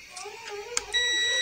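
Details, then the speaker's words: Big mosque/fair horn speaker unit coil, after fixing a disconnected point, tested with a multimeter: short click then steady half-second high beep showing continuity, coil intact. "यह भी इसने continuity देना शुरू कर दी दोस्तों"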